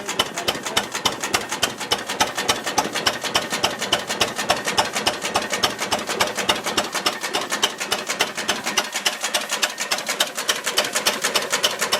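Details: Ruston Hornsby model PR, about 1926, horizontal single-cylinder petrol-paraffin engine, on petrol after leaning a too-rich mixture, apparently first start in 5 or 6 years: crisp, even ticking near 105 a minute, no knocks or misses; normal idle.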